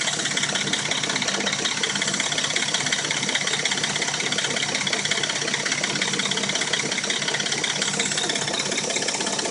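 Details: Dodge Intrepid at warm idle: fast, fairly regular metallic rattle about three taps a second, absent when cold; owner suspects the timing chain.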